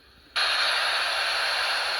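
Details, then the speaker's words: 1980s National Panasonic 'Mr Thin' RF-032 battery-only transistor radio on FM: a loud, steady hiss of static bursts out each time the case is pressed, and the set cuts in and out with pressure. The owner suspects an internal fault, not the battery supply. "Now, you can hear that every time I press, we get the static."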